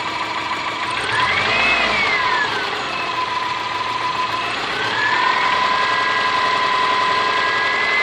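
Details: Subaru Forester SG5 with EJ25 engine: idle with a light, regular knock at a few beats per second beneath a wavering whine; knocking at idle, cause unconfirmed.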